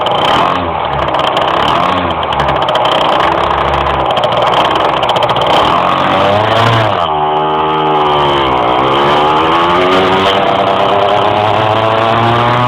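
Engine note climbs slowly and sags as it tries to rise through the revs while driving; it is hesitating under load, cause unclear.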